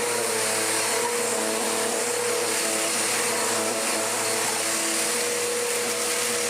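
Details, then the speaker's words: Restored mid-1990s Dirt Devil DD6114 upright vacuum, an Electrolux Contour clone, running on low: a steady, even motor whine holding one pitch with no rattle, surging or grinding; it works normally but is mediocre, and its belt is known to flip over. "it works, cannot deny that, but it's so mediocre. I think it's working fine, it's just not that good."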